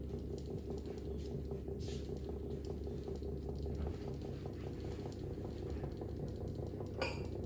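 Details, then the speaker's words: Desk fan: fast light tinny rattle over the motor's steady hum, constant with speed; loose center cap chattering against the hub. "The rattle is coming from that little center cap is loose. That doesn't sound good actually."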